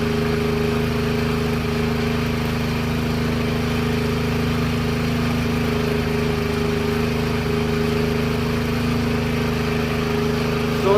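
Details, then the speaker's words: Hero Splendor single-cylinder after carburettor cleaning and reassembly: steady, even idle with a full note after the mixture screw is turned to the loudest point; mixture at its sweet spot. "जब भी maximum आवाज़ आनी start हो जाएगी उसके बाद में इसको रोटेट करना बंद कर देंगे, इसको लूज़ करेंगे, और जब भी मैक्सिमम आवाज़ आनी चालू हो जाएगी तो इसको उधर ही छोड़ के जो आरपीएम वाला है उसको सेट कर देंगे।"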